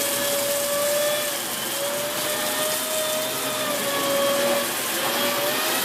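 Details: Dyson Big Ball Animal CY23 cylinder vacuum, three months old: steady vacuum roar with a thin, wavering high squeal that comes and goes, from a loose hose joint breaking its seal at certain angles and leaking air.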